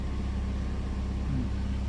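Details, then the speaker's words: Old high-use Toyota Vios at idle with A/C on after fitting an A/C idle-up box; before the fix, idle dropped from 900 to 400–500 rpm with shaking when the A/C engaged. Now idle lifts to about 1,000 rpm then settles near 900 and holds steady with a low even hum: normal. "อ่ารอบเครื่องจะดีดขึ้นนะครับปึ๊บประมาณได้ประมาณ1,000แล้วก็90000โอเค"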